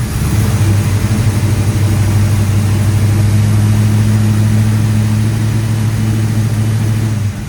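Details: 1970 split-bumper Camaro V8 after straightening distributor (vacuum advance had been pushed fully in, limiting timing): deep, steady burble at fast idle for several seconds, firing evenly without misses or stumbles; runs normally.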